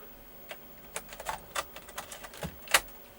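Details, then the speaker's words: Commodore Amiga A600, bought untested and unused for years, on first power-up: the floppy drive makes irregular sharp clicking ticks as the head steps without loading the disk. It then loads, apparently just from long disuse. "this drive's not working strange because i can hear it doing the little judging sound"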